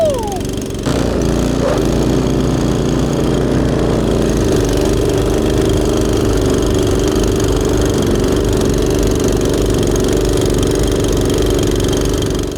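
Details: Husqvarna ST224 two-stage snow thrower, after cleaning to fix a no-start, started on choke at quarter throttle: steady, even engine drone holding speed under load for over ten seconds, no misses or knocks; sounds healthy.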